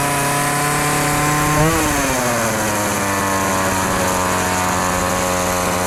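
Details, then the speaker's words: Homelite chainsaw after sitting for years, test-cutting a pallet after carburetor and fuel line replacement and tuning: steady high-pitched scream dipping briefly under load then recovering evenly; normal running. "i got the power saw chainsaw all fixed up now i'm gonna do a little test run"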